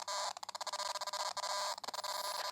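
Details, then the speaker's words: Foscam FI9821W wireless IP camera speaker gives harsh crackling bursts chopping up a hissy tone, stuttering many times a second, whenever the live video is viewed. The noise stops in the settings screen; support suggested the IR-cut sensor. "coming from a speaker every time someone's viewing it"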